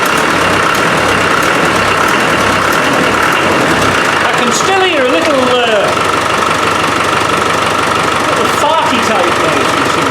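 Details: Land Rover 300Tdi diesel with a hard-starting fuel problem, idling after a new pump is fitted and injector pipes refitted: steady clatter at about three beats a second, no misfire or hunting; now runs fine, hard starting sorted.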